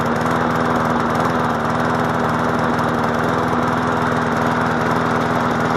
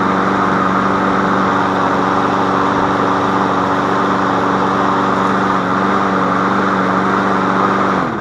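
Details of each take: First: MTD Yard Machine push mower small engine, previously fixed for no compression, throttle needing adjustment: uneven chugging with occasional skipped firing strokes; misfire and rough running, cause not confirmed. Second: Free MTD Yard Machine push mower, auto choke, only oil change, new air filter, sharpened blade, running on old gas: even, steady drone at constant pitch, no misses or knocks, then shutoff and coast down; normal running.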